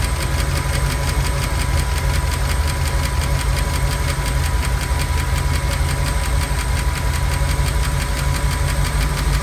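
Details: Ford 5.0 302 V8 in a Miata, cold start the day after overheating on the highway: fast light ticking over a loud, rough idle, seemingly from under the driver-side valve cover; valve train tick, went away once warm, cause unclear.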